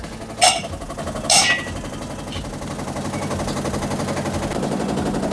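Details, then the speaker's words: Samsung top-load washer on spin cycle, drain pump working: two heavy bangs then fast rattling as spin builds; suspected broken drum hub, not dampers or suspension springs. "I'm suspecting actually drum hub in a drum hub broken. I think that's why it's making uh loud noise."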